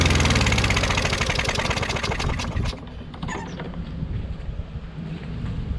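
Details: Craftsman push mower with Briggs 550EX engine running rough, on propane; putters unevenly, loud then sagging and stumbling, hunting, briefly sounding normal; muffler sounds hollow; cause unconfirmed, engine previously opened by a prior owner.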